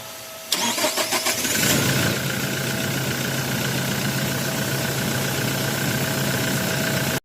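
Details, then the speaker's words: Toyota Hilux 2GD diesel with hard starting and stalling despite a new fuel filter: brief fast cranking, then a rough catch settling to idle. Air bubbles were seen coming from the fuel filter. "dito napansin natin na merong air bubbles na nanggagaling sa fuel filter."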